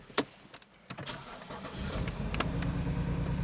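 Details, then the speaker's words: 2009 BMW E90 328i xDrive, about 197,000 miles, cold start: cranks into a rough, surging idle with rpm jumping and the check engine light on. It fades when warm but misfires under load. DISA valve code; broken DISA flap. "after the car warms up it goes away that's just the initial star and then when the car is under a load then you'll get the check engine light and the misfires"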